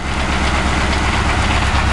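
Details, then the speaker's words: 2006 Ford Crown Victoria Police Interceptor, drive-by-wire, recorded at the catalytic converters: low, uneven idle with a loping, shaky pulse, engine and throttle body visibly shivering; rough idle, cause not yet found. "oh man so hear that noise listen i'm right at the catalytic converters yeah it's running but as you can see the engine is shivering"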